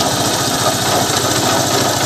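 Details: Honda Unicorn motorcycle idling: loud idle with a busy metallic rattle over the steady beat; abnormal engine noise, suspected broken bearing in the clutch or engine, with the clutch cover to be opened and checked first; unconfirmed.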